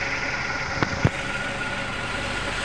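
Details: 1997 Suzuki Baleno after repairing spark plug wires and a leaking number-one injector O-ring and resetting the ECU: smooth, even idle with steady hum and a couple of light clicks, no misfire or stumble; healthy.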